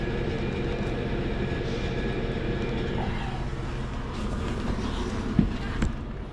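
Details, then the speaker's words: Perlick bar refrigeration unit after TXV change-out, cleaned coil and drain pan: steady low hum with faint whine, solenoid buzzing, still calling for cooling, supply cold — normal operation. "Still calling or cooling. I can hear the solenoid buzzing."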